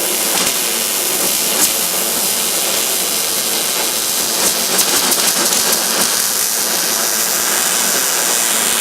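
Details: MIG welding a butt joint on roll cage tubing: even, continuous frying crackle without pops or sputter for the whole run, a well-tuned arc laying a clean bead with good outside appearance.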